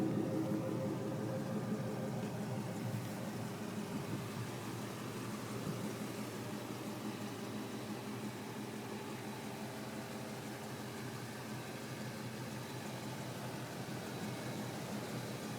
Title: 1999 F-150 Walk around exhaust leak